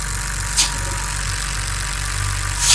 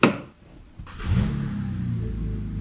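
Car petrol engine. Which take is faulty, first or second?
first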